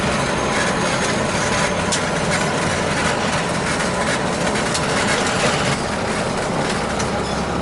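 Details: Gas conversion-burner boiler, converted two years ago, with Taco circulator: steady, even burner roar with smooth pump hum, no gurgling or rattling from pipes; boiler and circulator running healthy.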